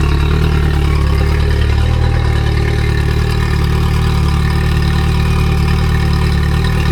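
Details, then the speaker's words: Outboard test run: steady, even low idle with a smooth rumble and no knocks, misses or surging, strong telltale flow; thermostat working, normal clean idle. "that thermostat's working beautiful."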